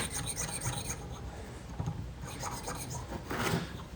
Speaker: oh yeah that sounds great hear that that's honing pretty good right there you can tell by the sound